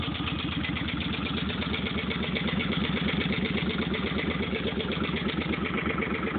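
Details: 2005 Suzuki Boulevard C50, just bought, at idle (phone recording): an even idle with a light tapping about twice a second on each beat, a top-end tap of unknown cause.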